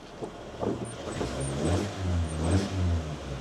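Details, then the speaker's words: Honda Jazz i-DSI petrol, 138,000 miles: engine revs up and down smoothly with an even hum and no knocks; sounds all right. "Engine sounds all right."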